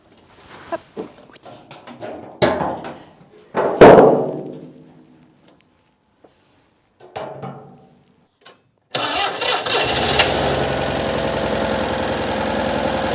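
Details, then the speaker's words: Citroën 2CV on a 6-volt system: after clicks and handling noise, the little twin fires at once and holds an even, steady idle; a healthy cold start. "bon allez je vais trouver mes clés et je démarre une dernière fois le moteur"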